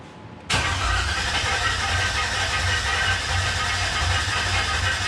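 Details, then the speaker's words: Truck with LS V8 that backfired and blew the MAP sensor off, running poorly possibly on dirty gas: starter cranks steadily for several seconds without firing; no fuel, owner suspects an undersized fuse blown earlier. "no fuel no fuel did we pop that fuse oh that's a good question because remember we popped it the other night and we did we did pop it"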